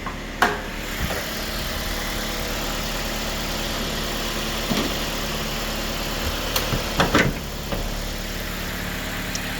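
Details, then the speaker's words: 2006 Mazda Miata, six-speed, 101,000 miles, salvage auction car that had been sitting: complete cold start, steady smooth even idle with low hum, no knocks or misses; engine healthy. "So, as you can hear, that was a complete cold start. The car's been sitting for a while, but the motor runs super smooth, so I'm very happy with that."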